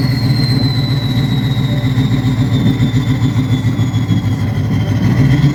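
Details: 6.0 Powerstroke/VT365 diesel with straight-pipe exhaust: deep, uneven rumble, lumpy at idle and rough when revved, rough running from bad injectors.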